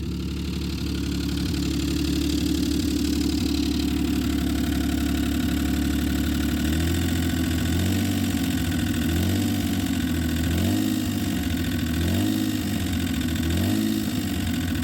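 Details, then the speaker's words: 1995 Plymouth Voyager 3.0 V6 after head gasket work, idling high with suspected vacuum leak, temperature gauge normal: fast deep knock rising with throttle blips and a squeak; suspected rod knock from a spun bearing, unconfirmed. "That's a rod. That's a rod. That's you can hear it squeaking. It's got a spun bearing in it."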